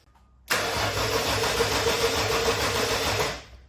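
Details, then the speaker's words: RB30 turbo engine swapped into a VN Commodore, first crank after wiring, powered by an old battery on a jump pack: even, brisk cranking at about 3.5 turns a second for three seconds with no grinding. Normal starter cranking. "Yes. That is a sweet sound. I know it's not much. It's only turning over, but woo-hoo-hoo. I'm stoked."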